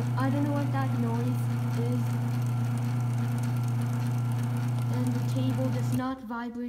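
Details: Sears garage door opener running down with its case removed: a steady low motor hum with a faint rhythmic rattle about four per second; the source of the noise is unclear.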